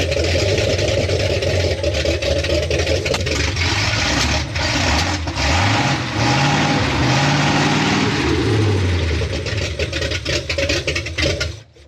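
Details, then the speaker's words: 1973 Ford F250 with freshly installed used 360 FE V8 and Hooker headers, carburetor recently fiddled with: rough, uneven loping idle for about eleven seconds, then sags and stalls; owner suspects a bad fuel pump. "I think I have a bad fuel pump oh there it goes"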